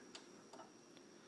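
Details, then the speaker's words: Hitachi TV on power-up: four sharp clicks about every 0.4 seconds over faint high whine, standby light goes off but set never turns on; power-up fault, cause unknown. "now the standby light goes off and wait for it see nothing doesn't do anything it's like it wants to just wait"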